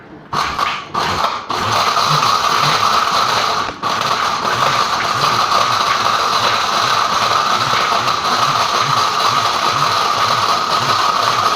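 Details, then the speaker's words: Blender on pulse trying to knock pins out of computer scrap plastic: steady high motor whine with hard clattering knocks about twice a second as chunks tumble; labouring, barely breaking material down. "Doesn't sound good. Doesn't look like it's breaking it down much at all."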